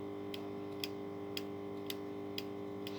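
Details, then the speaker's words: Toyota Camry 2.4 2AZ-FE balance shaft assembly, old plastic gear rocked by finger: sharp light clicks about twice a second over room hum from worn gear lash; balancers resisting likely make the loud knock, new gear has no play. "Вот она балансиры сами когда они тоже сопротивляются Видимо получается сильный звук"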